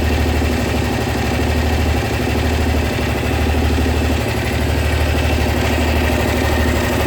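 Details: Honda SH 300i scooter: steady idle with a light, uneven ticking over the low engine hum; mechanics say it is nothing, owner believes something is wrong; cause unknown.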